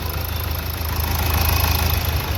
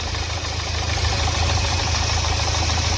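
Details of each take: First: Nissan Terrano diesel after injector service and replacing a faulty coil (previously missing, knocking, code P0203): steady, even low idle with no ticking or knocking; normal running after repair. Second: Nissan Terrano diesel, code P0203, idling: uneven, lumpy clatter with a skipping beat and knocking; misfire traced to faulty injectors on cylinders 2 and 3, with cylinder 3 also leaking; all four injectors were to be serviced.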